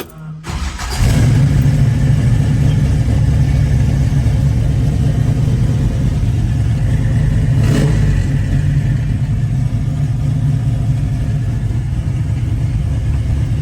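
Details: 1966 Chevrolet Chevelle SS, rebuilt 454 cid 7.4 L big-block, 4-speed manual, dual exhaust: catches quickly into deep heavy rumble, swells under throttle and settles back smoothly; normal start, idle and revving.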